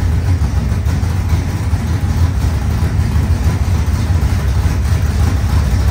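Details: Rebuilt 25-year-old SBC 400 small-block V8 race engine in a Chevelle, after fixing the timing: deep, loud rumble at a slightly fast idle, firing evenly with no knocks or misses; healthy.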